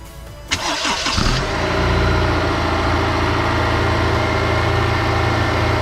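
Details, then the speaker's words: Honda S2000 just after replacing the worn timing chain tensioner with a Ballade unit, which had caused a start-up rattle: quick crank, then a smooth, even idle with no rattle. Normal cold start; timing chain sounds healthy. "sounds really good you're also going to want to check for leaks"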